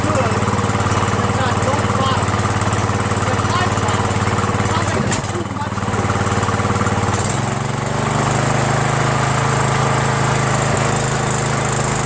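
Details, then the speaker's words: Troy-Bilt lawn tractor, Briggs Intek, Nikki carburetor, before replacement: uneven hunting beat dropping to a lower note partway, surging, worse under belt load; mixture screw makes no difference, and the owner suspects a jet he drilled out too far. "I think this might be the one that I am drilled up a hole not 100% sure if that's it but it runs terrible like it doesn't surge right I think maybe the hole might be drilled out too much and I can't even adjust it"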